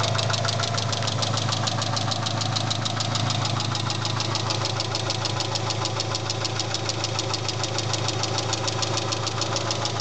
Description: My engine is making a ticking and knocking noise not sure what it is